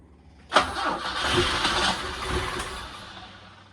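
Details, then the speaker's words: Alfa Romeo GTV with a built 2.0L and dual Dellorto carburetors, after its bad fuel was cleared, fuel line and filter replaced and fuel pump reconnected: the starter spins the engine and it coughs roughly without reaching a steady idle. "I've got some starting fluid. Let's try to start it up with real fuel now."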